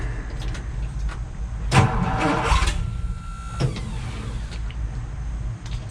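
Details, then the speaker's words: 1962 Ford F-350 manual, off the road 24 years, engine rebuilt, choke all the way out: starter grinds in short bursts, almost catches then dies; cranks but won't start, owner suspects too much choke or low fuel. "Maybe give it a little less choke. Huh, well, she did run. That's how I got it in here."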